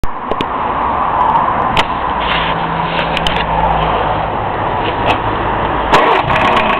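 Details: Hillman Imp engine just reassembled over a weekend, one of its first starts: rough busy idle with sharp bad knocks; bearings not worn, tappets within tolerance, plenty of oil, cause unknown.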